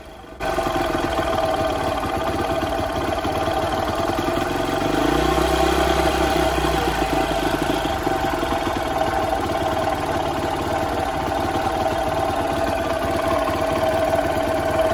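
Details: Honda CRF150F single-carb dirt bike, fully warmed up, idle screw being set: steady single-cylinder putter with one brief blip that drops straight back to an even idle; idle speed set right.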